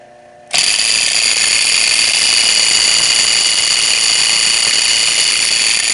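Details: Electric boiler circulating pump in an apartment building, older motor-and-coupler type: sudden loud shrill rapid racket; worn motor coupler failing, motor to be replaced.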